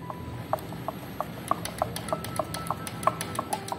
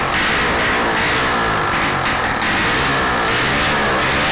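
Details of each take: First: Honda Biz 100 motorcycle engine opened up, with the stopped crankshaft rocked by hand giving sharp metallic clicks about three a second. The owner suspects connecting rod to piston pin play; the clutch and centrifugal filter show no play. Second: Rebuilt Honda Biz 100 engine test-run on contact cleaner with no exhaust fitted: very loud, crisp, rapid firing that revs cleanly, with no connecting-rod knock from the bottom end. It runs perfectly.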